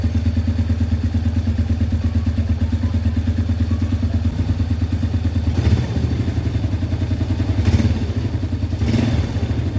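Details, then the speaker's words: Yamaha Vega R after a piston ring replacement for heavy white smoke, test-run with the exhaust not yet fitted. Open-pipe single thumps at a quick, even idle with a few throttle blips; smooth, with no rough noises. "Mesinnya sekarang sudah halus, tinggal menunggu sampai putaran idle-nya stabil. Tidak ada lagi suara-suara kasar."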